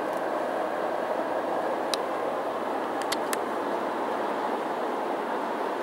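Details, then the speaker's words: 2007 GMC Yukon Denali AWD, 6.2 L Vortec V8, about 175,000 miles, inside cabin on the highway: soft even road hush, a couple of faint clicks, no wind roar or vibration; normal quiet cabin. "hear how quiet it is inside this yukon denali absolutely no wind noise no shimmies no shakes no vibrations"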